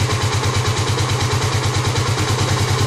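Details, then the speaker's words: 2009 Kawasaki KLX250S, first start-up after fitting a 300 big bore kit: steady, even single-cylinder thump at about three beats per second with no knocks or rattles, a healthy settled idle. "all right good that's how it sounds good"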